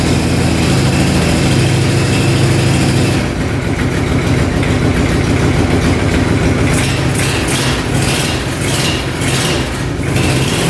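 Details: 2005 Kawasaki Prairie 700 V-twin ATV, stored for years, choked: it fires up and settles into a steady, lumpy idle with even low pulses and no knocks or misses. Normal idle, burning old oil off the pipe.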